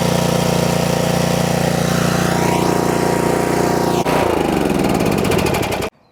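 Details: Used 2021 DR Pro 26 brush mower with 14.5 hp Briggs & Stratton Intek engine, DR battery trickle-charged: even, steady single-cylinder chug with no misses, then a clean wind-down and stop.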